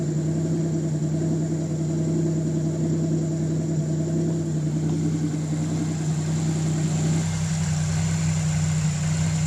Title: L67 Fiero misfire and high idle